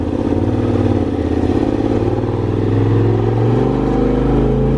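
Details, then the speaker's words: Polaris RZR 1000 Turbo just tuned (stage 3 tune, Gibson slip-on exhaust, new charge tubes, 32-inch tires), first start: engine pulls cleanly through rising revs with blow-off valve audible, no misfire or rattle; runs good. "We're gonna see if we can hear this blowout valve now."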